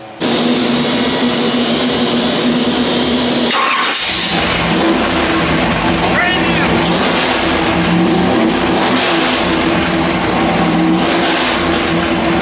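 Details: Pump-gas 406 small-block Chevy with ported Jegs aluminium heads, day-two dyno pull after swapping to an ATM carburetor: strong even V8 roar at full throttle under load, no misfire, popping or stumble; pulling cleanly, though the owner judged the carb slightly rich.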